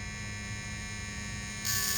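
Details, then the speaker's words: Merc-O-Tronic power coil test on a 1916 Evinrude RBM coil: a steady electrical hum, then a sharper buzz as power is slowly turned up until a consistent spark appears, with 2–3 ohms on the secondary winding. "turn it on nice comes on you can hear a nice humming sound and then i'm gonna turn this knob until i capture a spark in this window here a consistent spark"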